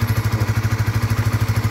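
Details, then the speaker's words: Honda RS150 FI after top overhaul, much quieter than the earlier noisy engine: even steady putter at about ten beats a second with no knocks or rattles; smooth, healthy idle. "Tahimik na tahimik sa ngayon."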